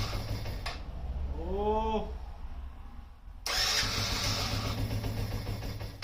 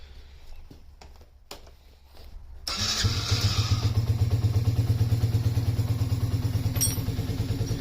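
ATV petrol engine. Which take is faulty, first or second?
first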